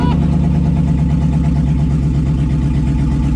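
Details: 2002 2500HD parts truck, 622,763 miles, on old gas, in park, first start; oil pressure came right up, no check engine light; deep steady even V8 idle, no knocks or misses; healthy.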